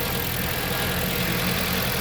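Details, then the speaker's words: 2011 Jeep Compass 2.4L on a cold, dewy morning, when the belt usually squeaks, after replacing the idler pulleys and belt tensioner: steady, even idle with a low hum and no squeak or chirp from the accessory belt. "it woo whisper quiet no squeak okay oh yeah this is much much much much better"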